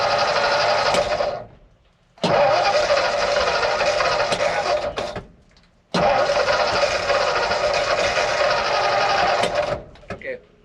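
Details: Ford F600 dump truck with PTO disengaged, cranked while pumping the gas: starter spins the engine in three long bursts of a couple of seconds each, steady churning, but it never fires or catches; cause not determined.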